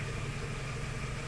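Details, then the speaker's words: Toyota Tacoma 2.7L during misfire diagnosis: smooth, even idle at about 800 rpm with no shake, vibration or missing beat, running cleanly on all cylinders; the injector is working, so this is a normal idle. "idle is still high right now the RPM is about 800 so there's no vibrating there's no shaking so that means the injector is working"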